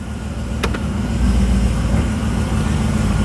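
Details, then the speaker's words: 2009 Corvette C6 convertible V8, one owner, low mileage, crash-damaged, first drive; steady low engine drone and road rumble, brakes work well, no dragging, scraping, squeal or funny noises; normal driving. "yeah brakes work good I don't hear anything dragging or any funny noises this sounds actually pretty good"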